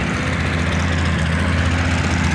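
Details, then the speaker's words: Corvair air-cooled flat-six powered buggy after top-end overhaul (re-ringed, heads untouched), warmed up: deep steady even idle, no popping either side, no smoke, plenty of power; fuel pump working, timing tricky to set; runs healthy. "starts up fine once it warms up there's no smoking there's no popping on either side it's got plenty of power"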